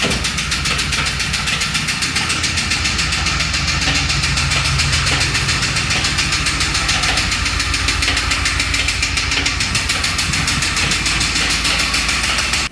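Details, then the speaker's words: LS 6.0 V8 with custom MAF intake, about 50 psi oil pressure: hard fast rapping knock three or four per second, rod knock; revved to about 3000 rpm it then shrapneled, holing the block or oil pan. "well you know obviously it sounded a little rod knocky but it had like 50 pounds of oil pressure so i thought it was all right"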